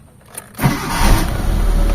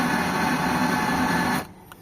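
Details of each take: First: Mitsubishi Lancer GLXi that would only start by push-starting: after replacing the faulty starter (earlier grinding metal noise), a faint click and the petrol engine fires at once into a steady idle. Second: Mitsubishi Lancer GLXi that won't start with the key but runs when push-started, with the starter already replaced: a harsh metallic grinding whirr for about 1.5 seconds and no crank, coming from the starter or the flywheel.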